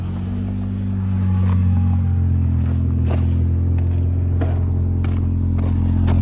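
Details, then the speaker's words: Cheap Honda Accord four-cylinder after a previously dead cylinder was fixed, all four cylinders firing, no check engine light; low, smooth, steady idle with no shake, replacing the earlier poppy idle, a normal idle. "But yeah, idle's perfect now. It sounds a lot smoother. Like, you know, before how it was like poppy-ish."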